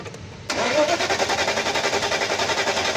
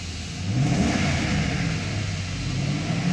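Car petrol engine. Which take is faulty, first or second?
first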